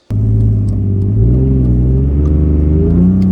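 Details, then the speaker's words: BMW E46 325ci M54B25 on Megasquirt MS3X, after installing custom MOSFET coil driver board for stock coil packs: engine catches instantly and revs cleanly, steady and even with no misses or knocks; runs good, maybe better than before. "I turn the car on and it runs and it runs good I think it almost runs it might run better than it did before"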